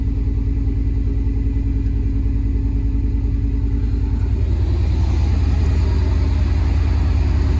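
Deep, even V8 burble at idle with steady pulses and no skips or stumbles; all cylinders firing cleanly.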